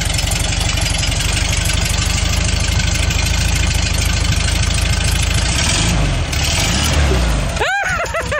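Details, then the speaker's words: VW flat-four in a bus idles evenly with no misfire or hunting, then shuts down; running fine, though ignition timing still needs setting properly. "all right runs great now you'll need to properly time it it's probably pretty close but you're gonna have to properly time it yeah but it sounds good"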